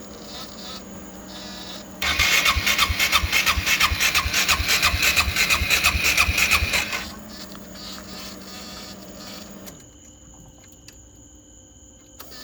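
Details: GY6 scooter engine with Speeduino 0.4.0 ECU, intermittent no-start with VR conditioner flashing, battery on charger: fast even cranking about three beats a second for five seconds, never catches; no-start.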